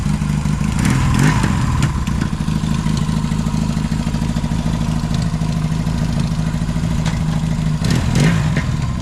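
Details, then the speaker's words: 1981 Yamaha XS650 twin, revived after years sitting, new fuel line, low front tire: settles into a steady even beat with light throttle blips, no misfire, popping or knocking; runs and rides. "hold on so but she runs she drives so next big purchase is tires and lights"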